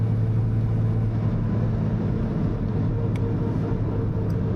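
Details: 1971 Jaguar E-Type Series 2 4.2L inline-six, four-speed manual, freshly serviced, driving at about 65 mph in third gear, 14 V and 40 psi oil pressure: steady, even engine and road drone with no whine, clunk or grind.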